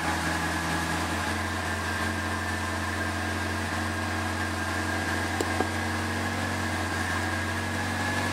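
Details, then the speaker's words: Second-hand Triumph Dolomite 1300 engine in a Gentry MG TF Replica, cold first start after engine change, on choke: steady even idle hum, constant low drone, no knocking or hunting; good oil pressure, sounds not bad at all, normal. "That sounds not too bad. Sounds not bad at all. Look at that oil pressure. Well, she started."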